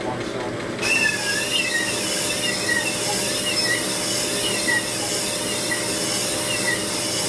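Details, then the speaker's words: 1978 Harley shovelhead cylinder being honed; continuous hissing scrape with sharpening chirps as more pressure and finer grit make the stone dig in and cut harder, normal honing progress. "As it works in this grid, it starts to cut harder. More pressure from the whole back."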